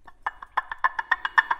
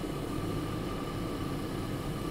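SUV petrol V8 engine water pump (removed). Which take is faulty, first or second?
first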